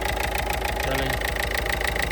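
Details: 2017 Peugeot Partner after knock sensor and battery sensor replacement and wiring check, previously stalling while driving: steady, even idle with a regular light pulse and no stumbling or surging; normal idle.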